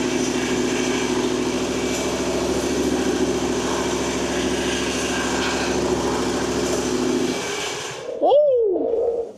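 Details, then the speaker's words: Ferris FW35 commercial mower, 1,600 hours, started after installing both hydros, park brake on and choke pulled: small engine buzzes steadily at even pitch for several seconds then shuts down; normal running. "Park brake is on. We'll pull the choke out, and we should be able to fire it up."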